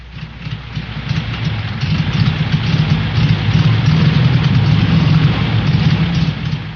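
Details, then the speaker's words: Air-cooled Volkswagen engine with a fuel delivery problem: low, lumpy idle with an uneven beat that wavers and stumbles instead of ticking over cleanly. "An engine with fuel delivery problems."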